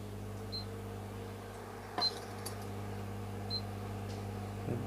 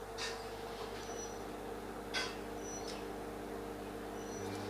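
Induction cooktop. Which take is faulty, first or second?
first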